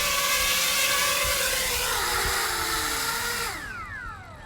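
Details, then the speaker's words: JME drone carrying an Insta360 One X camera, flying in cold weather and coming in to land: a high, strained whine from the props holds loud and steady, then drops away as the throttle closes; the motors are straining under the overload. "was actually able to land without much trouble but man you could hear that the motor screaming even though this thing is always loud"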